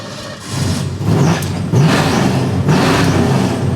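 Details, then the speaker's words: 1962 Ford Fairlane automatic: engine catches quickly and settles straight into a steady, even idle with no misses. Fires right up every time; healthy start. "Fires right up every time. As far as tradeup roadtrip cars go, this is top tier."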